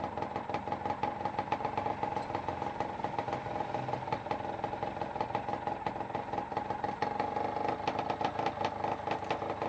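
Lively two-stroke idle with a steady whirr and light even clatter, settling smoothly; sounds like a healthy engine.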